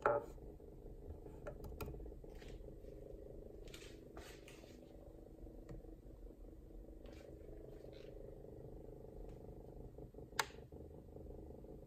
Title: Kawai ca79 buzzing noise